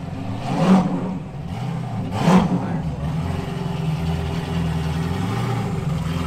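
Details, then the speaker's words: Chevy LS3 427 V8 in rebuilt Ultra4 race car after dyno tuning: two quick revs as it catches, then steady even low idle; starts and stays running without throttle for the first time. "It starts and it runs and it stays started. It just actually started without me pushing the throttle."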